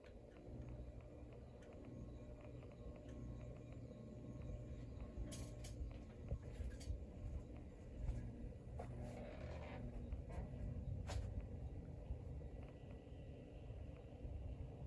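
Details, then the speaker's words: Locke Saratoga (Evergo) "banana" ceiling fan turned up in speed: constant low rumble and hum with rough gravelly undertone; worn motor bearing noise, said typical for banana fans. "It's making a lot of noise. Typical for banana fans, they all do that."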